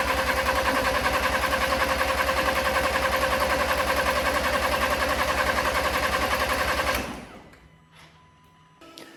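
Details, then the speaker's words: Crash-damaged Audi A4 TFSI 35 with a replacement engine, coil packs disconnected: steady even cranking at about three and a half turns a second with no firing, then stops; starter spins the engine freely while building oil pressure. "I'm just cranking it, and I'm going to give it a 30 seconds between cranks to let the starter motor cool down, and I'm going to keep going through the cycles to try and build up that oil pressure. But yeah, really happy it's cranking."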